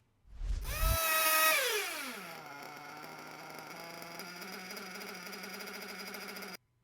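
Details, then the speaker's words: Nitro RC engine warmed to about 100°C: revs pick up nicely with a good top end and drop to idle, then idle rpm slowly creeps upward because the low-speed needle is lean and starves it of fuel at idle. "okay so now the opposite happens so the revs pick up nicely you can hear the top end is good drops down to idle okay but then almost immediately you can hear that the idle revs are going up so the rpm on idle goes up because now the engine isn't getting enough fuel on idle"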